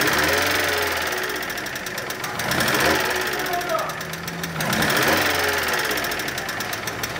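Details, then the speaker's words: Volkswagen Polo 1.6 with a tappet-noise complaint and stalling when let back to idle; spark plug leads checked fine. First start gives light, quick ticking over a rough, uneven idle. "müşterimiz işletmemize itici sesi ve boşa atınca stop etme şikayetiyle geldi"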